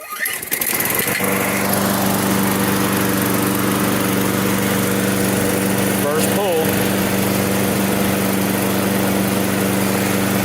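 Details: Toro self-propelled mower with Briggs & Stratton 6.75 and auto choke, which wouldn't restart once warm, after tune-up (new spark plug, cleaned carb, fresh gas): catches first pull, settles into steady, even run with no misses or surging; normal running.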